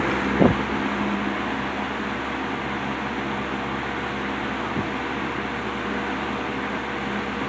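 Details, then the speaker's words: Wizard window box fan on high speed after motor rebuild with front and back bearing caps transplanted from a Lakewood X 22: steady even airflow hum, faint constant motor tone, no vibration, noise or chattering; runs perfectly smooth. "Perfect. Runs as smooth as a baby's butt. There's no vibration. There's no noise. No chattering."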